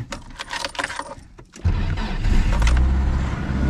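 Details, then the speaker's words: Nissan 240SX S13 blacktop SR20DET after a Garrett T28 ball-bearing turbo and Tomei manifold install and a fuel line repair, after sitting for months and still short on coolant: it starts on the first try into a steady, even idle and sounds healthy. "tout de suite ça a l'air plutôt sain en fait, ça a commencé tout de suite, c'est fou"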